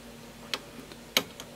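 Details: Advantest R6581T 8.5-digit multimeter after battery replacement and internal calibration to fix clicking relays and false overload. Ranges stepped manually through 1, 10, 100 and 1000 V give single crisp relay clicks with no chatter or buzz; normal range switching.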